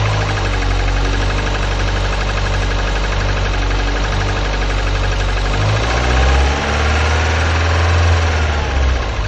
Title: Elise S2 111S Engine knocking/howling-Fail?